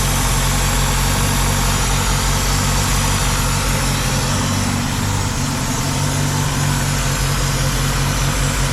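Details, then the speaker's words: 2000 Ford Contour 2.0 with rough idle under load, after intake gasket replacement: steady idle with constant airy hiss; vacuum leak traced to rubber hose at bottom of intake to metal pipe, hiss stops when hose pulled tight. "I think it's I think the sucking sounds coming from like farther down the inake so we found the culprit which is a rubber hose that goes to the bottom of the intake"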